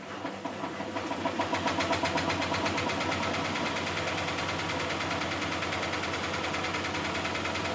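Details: Miele Softtronic W6544 washing machine, drum loose and noisy (bearing damage questioned): steady clunking about four times a second builds as the drum spins up and continues; drum loose from a broken drum spider (Trommelkreuz).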